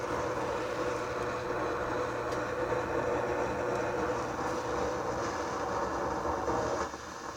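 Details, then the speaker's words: Sony STR-230 receiver on FM, tuner works on stations: a steady, loud rushing hiss with low rumble between stations; owner suspects a failing transistor or leaky capacitor. "See, the tuner is working, but in between stations we are getting this god-awful noise."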